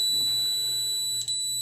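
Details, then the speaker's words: Comfortmaker HVAC unit whose fan ran all the time, relay continuity test: steady, unbroken meter tone across common and normally open, where there should be none; relay contacts stuck closed, relay replaced. "that's a bad relay and that's why his fan was running all the time so we replace that and he's good to go"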